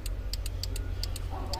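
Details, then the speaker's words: 2007 GMC Yukon: rapid uneven relay clicking inside the dash, about five a second, with all warning lights and messages flashing, caused by a busted network connector losing communication on the CAN network. "it had this code or lose communication you'd hear this clicking inside the dash"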